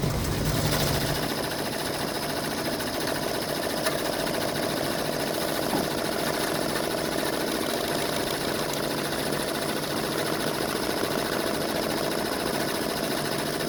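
A steady, rough grinding runs evenly under the motor hum the whole time without letting up; the source of the grind is not clear.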